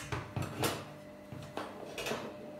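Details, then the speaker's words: Hantarex Polo arcade CRT monitor chassis: sharp repeated clicks, about two a second, as the board keeps going into shutdown; checked by testing the horizontal output transistor (HOT) with a multimeter. "This board is in shutdown. It's not gonna know it, it's just clicking."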